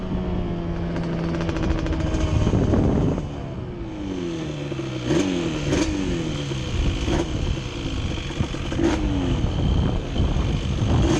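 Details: Banshee ATV two-stroke twin on a ride, revving up and dropping cleanly with no stumble or misfire; earlier miss cured by moving carb needles back to the middle clip, after trying new NGK plug caps and coil.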